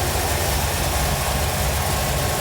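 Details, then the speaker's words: 1957 Chevrolet Bel Air carbureted V8 after carburetor replacement: steady, deep, even idle burble with no misses. It idles and picks up throttle well, so float level is judged fine; the front bowl may be adjusted later. Normal idle. "with the weight especially the way it's idling and the way it's picking the throttle up I don't think there's really a a problem with the fuel bolt uh float level"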